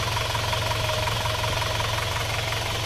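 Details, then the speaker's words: Warm Isuzu Panther diesel after the cylinder 4 liner, sunk and leaking compression, was flipped and new piston rings fitted. Steady, even idle clatter, about three beats a second, soft with no misfire, puffing or rattle; healthy. "suaranya mesinnya suaranya empuk ya tidak shalat tidak ada suara kerang-kerang"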